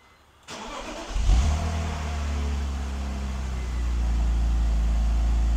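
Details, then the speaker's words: BMW E46 330i cold start after valve cover gasket (found folded on cylinders 2 and 3) and idle air control valve replacement, old gasoline: cranks, catches with brief flare, then steady low even idle, no misses or hunting; RPM needle holding well. "It is idling beautifully. I am super happy about that. Let me show you the dash. So the needle is holding beautifully. RPMs are holding great."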